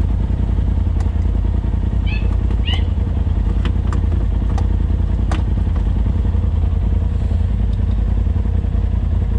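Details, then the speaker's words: Machine lost power climbing a trail and smokes; one rider thinks it's burning on only one cylinder with the rest of the fuel burning in the exhaust: loud lumpy low note, uneven beats, loose clatter; suspected, not confirmed. "yeah i think it's just burning on one cylinder and not running on both sides the the rest of the gas is burning in the uh in the exhaust"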